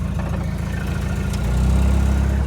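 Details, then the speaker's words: RV driveshaft test drive after replacing the broken rear universal joint that had been clunking and vibrating: a steady low drivetrain rumble that swells slightly as drive is taken up. The hum and clunking are gone, so the driveshaft is normal. "This is a test run of the Dolphin. It is driving perfect. The hum in the drive shaft is gone. There's no more clunking."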